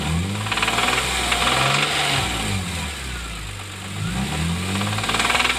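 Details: BMW E46 M3 S54B32 petrol straight-six running with a steady, hard metallic knock about four times a second over the engine note; rod bearings verified worn, crankshaft damaged.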